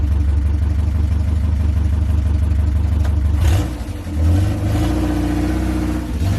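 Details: 1969 Ford Capri after fitting another carburettor with smaller choke: even idle then a clean rev blip settling back smoothly, no stumble; normal idle and revving, runs much better.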